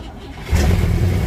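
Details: 1957 Pontiac Star Chief barn find that sat for years, fed from a fuel can after pumping the gas; half a second of quiet, then the V8 catches with a deep low rumble and keeps running.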